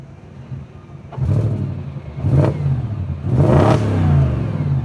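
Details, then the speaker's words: 2004 Audi B6 S4, about 105,000 listed miles, engine warm: three quick throttle blips, each rising cleanly and dropping back to a smooth idle with no knock or rattle; motor fine, owner ran it to 6,000 rpm. "I ran it up to 6,000 RPMs. Motor's fine. Nothing wrong with the motor."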